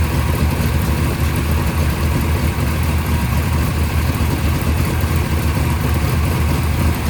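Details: First startup of a freshly rebuilt 580 Mopar stroker on a run stand with headers and mufflers, timing at 33°, about 1,400 rpm fast idle, 65 psi oil pressure; deep, even, muffled V8 burble with no misses, knocks or ticks, running smoothly.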